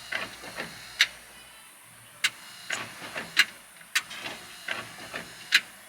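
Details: 1957 GMC truck fitted with a Bosch Icon wiper blade on a Rain-X-treated windscreen: soft rubbery swishes about once a second as the blade crosses the glass, with no chatter or squeal. It is a normal, clean sweep.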